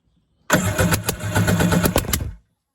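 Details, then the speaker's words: 1992 Kawasaki 650SX stand-up twin, plugs out, during a compression test on a temporary battery: brisk, even two-second cranking with steady pulses. Healthy compression, a little over 150 on both cylinders. "you guys can see about the same a little over 150 on both cylinders so that is absolutely awesome"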